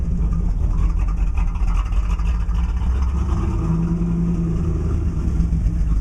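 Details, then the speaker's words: 1987 IROC-Z V8 on cold start after sitting a few days: deep uneven idle rumble, rpm fluctuating drastically from almost below 500 while warming up; owner says it disappears once hot, cause unknown. "so that the the RPM's fluctuate um from almost below 500 well right now it's warming up but it fluctuate quite drastically at idle"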